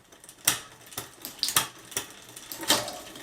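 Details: Bicycle rear derailleur on a new direct-mount hanger after re-entering adjustment mode and adjusting: a handful of crisp, clean, complete clicks as it now shifts properly.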